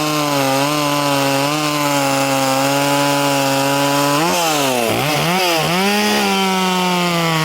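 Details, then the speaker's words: Poulan 2500 Farmhand (same as 2900), chain changed from 3/8 low profile to .325, cutting: high steady two-stroke scream dips cleanly as the chain bites and recovers quickly, pulling strong. Normal running under load. "But it's been my experience, I've had several of these at this point, as long as you've got a decent fuel system, they run decent, you know, they're a totally decent little saw."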